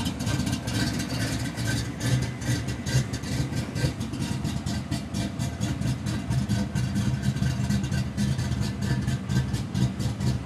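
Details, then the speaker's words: 1992 Ford Mustang GT V8, high compression: steady even lope about two beats a second from the big cam; healthy idle, stays under 180° in traffic with air on. "um car idles really well no idle issues car stays under 180° in traffic with the air on"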